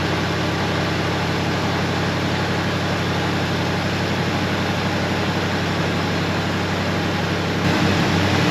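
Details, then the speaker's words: 1973 Ford F250 flatbed, FE390 V8, revived after long storage with fresh plugs and idle screw turned up; steady low idle with uneven loping pulse about four beats a second, rough idle, clearly needs carburetor work, owner may swap carburetor. "Well, it clearly needs some carburetor work. I'll probably just put a different carburetor on it."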